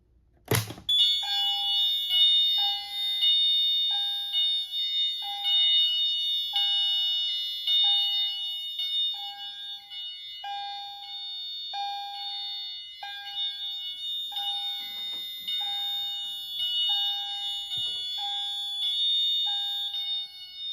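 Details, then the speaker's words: Notifier NFS-320C fire alarm panel demo in general fire alarm: Wheelock AMT plays a repeating two-note electronic chime about once a second, with the CHDF1 also activated. "For any fire alarm condition, the CHDF1 and the Wheelock AMT will activate. The AMT will play a chime tone."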